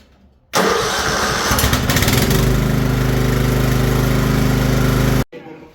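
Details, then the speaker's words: Craftsman LT1000 riding mower after restoration (axle and wheel fixed, new tires, deck restored, new blades and pulleys), battery charged: brief crank catches at once, then a steady, even chugging idle with no misfires or knocking; normal start and idle. "Everything's working great. Battery's charged up. It starts every single time."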